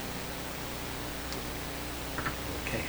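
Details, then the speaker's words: Clairtone console stereo radio, heard through the outputs rather than the speakers, with antenna reconnected during automatic gain control work: steady even hiss across the band with no station tuned; noise source unknown. "okay so what's all that noise coming from the radio not from any microphones"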